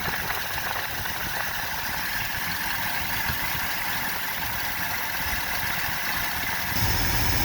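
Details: 1970 Ford F250 360 FE V8 with an unidentified, possibly wrong carburetor, being tuned with a vacuum gauge at about 15: steady but lumpy idle, about four pulses a second; rough idle, cause unconfirmed.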